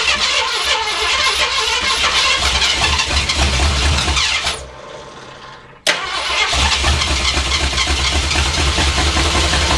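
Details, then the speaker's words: Carbureted project car started with brake clean: rough, uneven idle with a short dropout before catching and settling; idling, owner unsure if carburetor or a vacuum leak. "let's cut the exhaust vanan on hey it it was idling YouTube it was idling"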